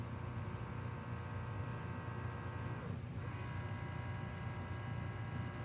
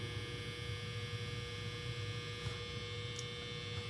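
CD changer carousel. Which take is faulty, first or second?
first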